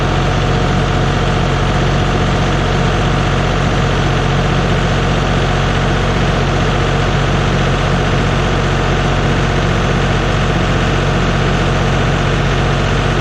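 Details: John Deere 5065E diesel tractor, first cold start after replacing the starter and solenoid. Deep, steady idle with an even low throb and no misses or knocks. Normal idle.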